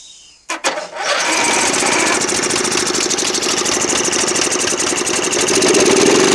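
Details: Toro Wheel Horse 1238XL lawn tractor after carburetor replacement and gas tank cleaning, started by jumping the solenoid with choke on: cranks, catches and settles into a steady, even single-cylinder run with no misses; engine starting and running properly.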